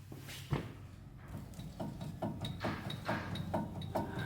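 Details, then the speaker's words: 2005 Toyota Tacoma 4WD, 165,000 miles, driver front hub rocked by hand with wheel off: dull uneven clunks about twice a second; suspected lower ball joint, actually a failed front wheel bearing. "pretty sure he still can see and hear that movement i think we will be still able to hear it and see it yep it's right there"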